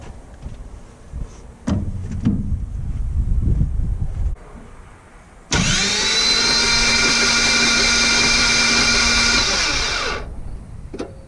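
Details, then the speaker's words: Toyota FJ62 Land Cruiser, about 296,000 miles, compression test on cylinder 3 with oil added: starter spins quickly and evenly, a steady whirr with no compression beats; still freewheeling at zero compression, something not right. "Still freewheeling, which means something is not right."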